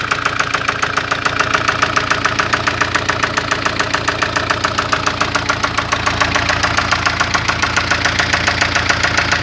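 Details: 1996 Spanish-built Ford Fiesta at idle: sharp, regular ticking knock about 3.5 per second over a steady idle; owner reports a lot of engine noise, cause unknown.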